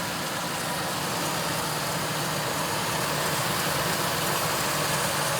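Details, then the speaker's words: 1999 Ford F-250 XL with a 4.6 liter V8 and automatic, miles unknown, sitting 2–3 years, suspected bad fuel pump, running briefly on fuel poured into the intake: a smooth, even idle with a steady exhaust burble and no miss, knock or surge; it sounds healthy. "The engine sounds good. Power steering is good, automatic transmission engages, and the AC compressor did not turn on. The AC blows warm. Listen to that engine."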